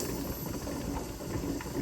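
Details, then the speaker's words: Older Presto pressure canner processing chicken broth: steady steam hiss with faint irregular ticks as pressure builds. The weighted regulator behaves normally just before it starts rocking. "it's starting to think about actually rocking not quite there yet it is thinking about it"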